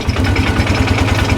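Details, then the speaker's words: Polaris Ranger engine after rebuild, with cam previously replaced by another shop and vent bypassed: steady, even low thump at idle, no ticks or knocks; cycling as it should; normal idle. "And she's cycling just like it should. So, that's great."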